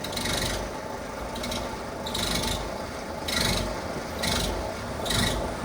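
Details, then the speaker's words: Sprinter van: a raspy, grinding rub swells and fades about once a second as the steering is turned left; the owner suspects low power steering fluid and plans to top it up, cause unconfirmed. "it's got this weird noise and then if a turn left and"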